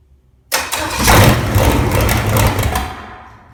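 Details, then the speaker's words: Original, very-low-mile 1968 Buick 430 V8 (ex-'68 Riviera), first run in decades after fixing a bad ground at the distributor points, carburetor never apart: a short crank, then it catches cleanly with a full, even beat on all eight. "Well, I think it's gonna run. It's the first time I've run it at all. I've never had this carburetor apart, so I don't know what the carburetor is trying to do, but it sounds like it's hitting on all 8 for sure."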